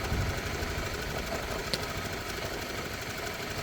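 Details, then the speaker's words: Honda CB150R Streetfire at idle: light, fast metallic rattle from the cam chain tensioner, friction of its internal metal plates that grows with age, mileage and a loose setting; still not very loud here. "bunyi yang dihasilkan Tensioner ini adalah gesekan dari plat-plat besi itu"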